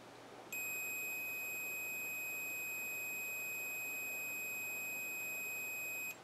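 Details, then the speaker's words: Hot quadcopter brushless motor tested for continuity between middle lead and mounting screw: one long steady high beep about five and a half seconds; winding shorted to the frame, faulty motor. "if not it's beeping so now I know there's something wrong with this one"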